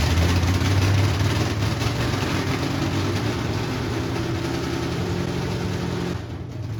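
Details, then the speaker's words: 1968 Ford Mustang cold start: pumped throttle, fired after few cranks; loud deep open-pipe rumble with no exhaust, steady slightly lumpy idle settling evenly, may need a little more idle; coolant later found leaking from a freeze plug; normal cold start. "I mean, literally, that was cold. Yeah. All I did was fucking pump the thing and fired it up, you know? And it didn't even crank that many times."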